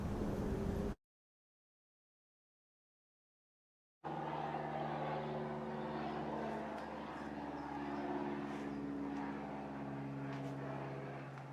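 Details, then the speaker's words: 2004 Chevrolet Classic, GM L61 Ecotec, cheap overhaul at 250,000 miles, clanking and knocking growing louder: running with light steady clatter about four per second; timing chain set failed, plastic chain guide broken in pieces. "the biggest problem is the timing chain set that I got quit working now the most obvious problem there's supposed to be a plastic guide that goes here goes all the way up to the cylinder head and that's in pieces right now"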